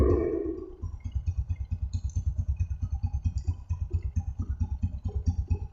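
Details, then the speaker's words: Honda Supra X125 idling after repair of a rough engine noise, oil recently changed, exhaust covered to check: a steady even low putter with no knock or rattle. Smooth, healthy idle. "oke suara mesinnya sip sip sip"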